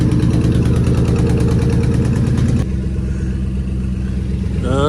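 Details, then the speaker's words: 2003 Ford Police Interceptor V8 after Cal-Van insert repair for misfire, warmed up, low battery being charged: steady, even idle with low burble, no stumble, no engine light. "there's a glue is warmed up yeah we're gonna see how we do okay I already sound a whole lot better well and I don't see an engine light"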